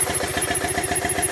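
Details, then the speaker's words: Zero-mile Triumph T100 Bonneville stored a long time, now won't start: short burst of twin firing at a steady lumpy beat with clatter, running only on air pressure fed into the fuel line; injectors fine, fuel pump or something inside it failed. "so we've established now fuel pump or whatever inside it has failed"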